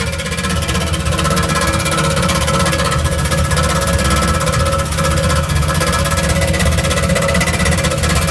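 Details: 1977 Camaro engine running steadily with a fast, even clatter over a low rumble; weird abnormal engine noise, cause unclear.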